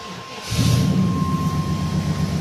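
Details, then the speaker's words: Old Chevy truck with no crank, no start caused by a very old aftermarket alarm anti-theft system, now bypassed with a box: quiet, then a low rumble catches and settles into a steady run within half a second; starts normally. "Off you go. So, if I remove it here, it keeps running because it's being bypassed by this box."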